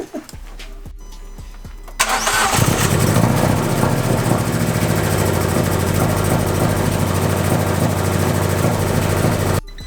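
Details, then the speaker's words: Fiat 500 Abarth MultiAir just after the 124 MultiAir valve spring upgrade, first start after priming oil with the coils unplugged: starter cranks, then the engine runs uneven and lumpy. Air is still bleeding from the MultiAir oil system and should run normal after a few starts. "if you notice this sounded a little whack that's okay it's gonna sound a little weird the first few times you start it so you want to start it and then turn it off let it chill for a second start it again it's just getting all the air out of that system and then it'll start to run normal"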